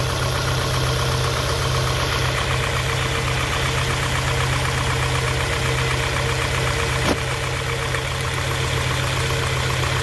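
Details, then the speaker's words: 1991 Honda Prelude Si after new NGK plug wires and plugs: loud, low, rough idle with uneven stumbling thumps, surging and shaking as if about to stall; still misfiring, distributor cap and rotor next suspected. "Nope, idle surge. This is how low it idles. A rough idle, shaking very. It feels like it's about to stall is what's happening. Damn, misfire."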